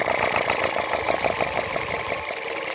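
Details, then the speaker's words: Dyna-Glo forced-air torpedo shop heater during repair, blown out and dried, partly assembled: steady whirring buzz with quick, light, uneven ticking over the top; air pump running normally. "you can hear the pump pumping so I'm gonna go ahead and it seems to be pretty dry here so it's time to put it back together"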